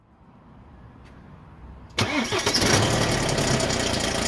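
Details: BMW E87 120d, N47 diesel, after lower timing chain replacement with engine removal: quiet until the starter catches at two seconds, then a steady, even diesel idle with no chain rattle on start-up; healthy.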